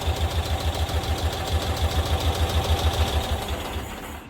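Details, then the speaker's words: 1992-ish Cushman Truckster with trimmed wiring harness, restarted after shut-off: fires straight up and settles into quick, even low thumping with a steady beat; normal clean idle. "Shuts off. shuts right off. Fires right back up. Oh. Fires right back up."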